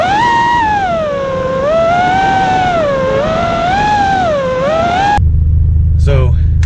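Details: Drone hovering after two failing ESCs were replaced with DYS 35A ESCs: clean, crisp whine rising and falling with throttle, no buzz, rattle or vibration; motors and speed controllers running healthy.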